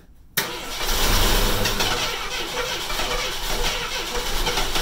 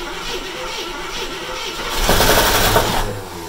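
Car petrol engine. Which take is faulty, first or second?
second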